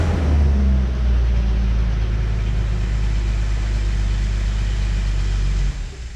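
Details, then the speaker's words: 1974 Datsun 260Z, 10,000 original miles, after coolant flush, new fluids and fuel lines: low even rumble settling into smooth steady idle, no knocks or misses; normal idle. "Beautiful. It runs and idles just like the day it came out of the factory. It should. It's only got 10,000 miles on it."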